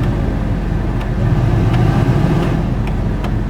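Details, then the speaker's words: 2001 Jeep Wrangler blower motor, which fails in cold weather but works once warm (about 50°F afternoon): steady fan whir with faint clicks, one switch position needs wiggling; owner suspects a bad connection or blower resistor, unconfirmed. "now the blower comes on oh there it is so you can hear oh I got to wiggle that one"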